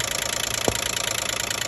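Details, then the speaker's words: 2012 Nissan Maxima 3.5 L at idle: fast even bright metallic ticking over steady idle from the top of the engine; owner suspects the intake bracket, cause not confirmed. "that's what the noise came from and I take it off and yeah there noise come down right there"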